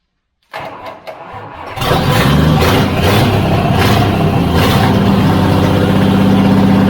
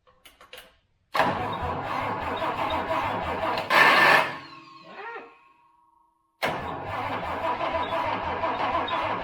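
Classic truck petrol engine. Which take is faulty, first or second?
second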